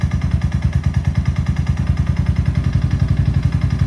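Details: Suzuki LS650 single-cylinder: hard, hollow knock about nine times a second locked to engine speed; piston slap after a seizure at about 4500 rpm climbing a 6% grade into headwind; teardown found a severely seized piston and .009"+ clearance.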